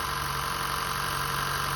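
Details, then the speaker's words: 2015 Honda Fit, cold idle in the engine bay after its 90k service (VTC spring, valve adjustment, walnut-blasted intake valves, new drive belt): steady, smooth hum with no knocks or stumbles, smoother than before the work. Normal. "And it's cold too. Usually when it's cold, it's not that smooth as when it's warmed up. But it sounds really smooth. It actually sounds smoother now than it did before I did this."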